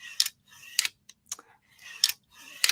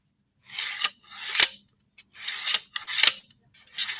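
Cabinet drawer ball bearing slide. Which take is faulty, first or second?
second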